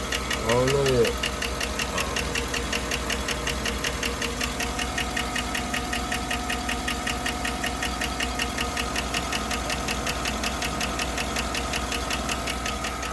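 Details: Chevrolet Suburban 5.3 LS with a misfire found on cylinder 4, spark plug already replaced and coil suspected: sharp, even ticking about three a second over a rough idle. The ticking is not yet diagnosed as a lifter tick.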